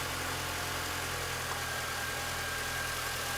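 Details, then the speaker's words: 2001 MINI Cooper R50 idling during a fuel pressure test with the gauge on the fuel rail, reading about 50 psi (spec about 3 bar): steady, even idle hum, no misses, knocks or hunting; normal idle. "the engine is actually running okay at the moment but i'll still just push this valve in which will sort of let any air out of the gauge pipe just in case it was that"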